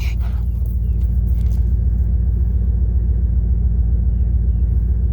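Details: 1998 Dodge Durango single-cam V8, warm idle at operating temperature after 5–10 minutes of running, following timing chain, coolant, oil and filter replacement for a P0300 misfire. The burble is smooth, even and low, with no ticks, knocks or misses.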